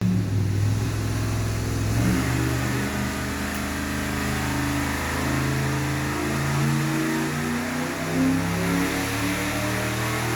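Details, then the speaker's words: Stock Ford 460 V8 on a dyno after the undersized 750 carburetor was changed. Deep roar climbing evenly through a long full-throttle pull with no misses, pops or knocks. Strong, clean run. "That sounded good. Whatever, engine. If that's what you like, that's what you like. Who we'd argue? That sounded mean to me."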